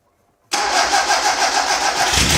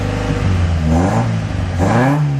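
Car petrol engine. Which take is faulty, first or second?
first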